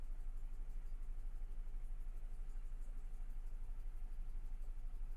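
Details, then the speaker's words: 2000 GMC 1500 parked 4 years, rodent-chewed wiring, fuel injection cleaner added, 40 psi oil pressure: idle with steady lumpy beat about three per second, dead cylinder from a loose spark plug wire, later reconnected. "All right, let me uh see if I can figure out uh which cylinder's missing. All right, guys, I found uh one of the spark plug wires was loose."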